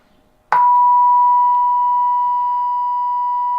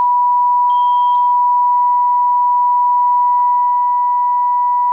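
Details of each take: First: Mectron record player valve amplifier mod on the bench during power output and distortion measurement. A pure, steady 1 kHz tone starts abruptly and holds level with no hum, buzz or crackle. Clean amplifier output. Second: Mectron valve amplifier on bench test with about 1 kHz test tone overdriven: steady tone with harsh buzzy edge, about ten percent distortion from 2nd through 5th harmonics; clipping distortion.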